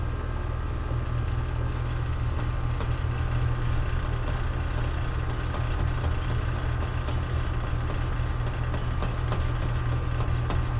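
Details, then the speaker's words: Air conditioning compressor held running by pushing in the contactor during pump-down before a TXV replacement: constant low drone with a faint uneven rattle as refrigerant runs out. "We're going to push this in so it stays in right here in the contactctor. And then when it starts rattling, we're just going to go fast."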